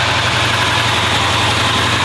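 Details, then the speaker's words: 383 V8 in a newly restored car, first start after welded block repairs, just after the timing was advanced; steady smooth rumble at about 900 rpm idle with no misses or surges, now running properly. "Now we're getting a good run on it."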